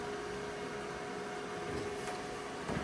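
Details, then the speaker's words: Silatu STC550P 55A dual-voltage plasma cutter: steady, even mid-pitched whir of its cooling fan running continuously, with no speed changes. The owner finds it annoying, but it is normal operation. "Some things I don't like about this. For one, you hear the fan, it's driving me nuts."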